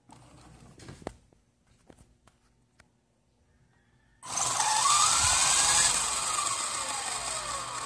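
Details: WLtoys V913 RC helicopter: after a few handling clicks, the motor spins up to a high whine with a steady ticking and a wobbling main gear. The owner is unsure whether the main shaft or the main gear is at fault.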